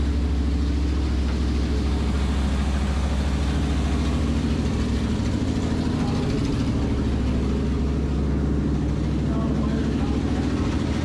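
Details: 1973 Dodge Dart, 340 V8 with 727 transmission, sat in a garage for years, revived the same day: deep, even rumble holding steady with no misses, knocks or hunting, running smooth and healthy.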